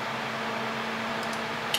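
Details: PC fans at full speed with a loud airy rush and low hum, CPU running hot around 85C; owner suspected the water-cooling pump after a clicking noise; after repasting, the pump runs and temperatures drop to 40C.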